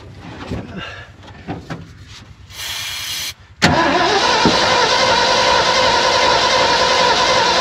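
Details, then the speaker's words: Abandoned 1970 Ford F600 U-Haul truck after new fuel pump and cleaned battery terminal, spark reaching distributor cap: fast, even, light cranking with no firing; cranks too easily but won't start. "It almost sounds like it's spinning over too easy now."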